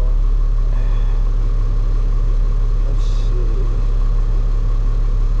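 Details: Caterpillar 3126E diesel truck losing power with a skip, revved: a heavy rumble with an uneven, loping beat about three times a second. An injector cut-out test found a dead cylinder from a bad injector, which was then replaced.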